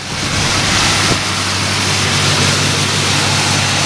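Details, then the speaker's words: 1978 Oldsmobile Cutlass 403 V8, previously knocking, cold start on a cold day: starts quickly, fast idle, steady full exhaust, no ticking or knock; normal cold idle. "yeah start right up fast-fast idols on sounds good little bit cold out"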